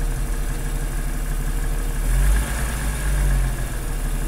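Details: 1997 Jeep XJ fully warmed up at idle: steady, even rumble with the earlier piston slap gone, maybe a little left. Throw-out bearing noise is also audible. No clear knocking.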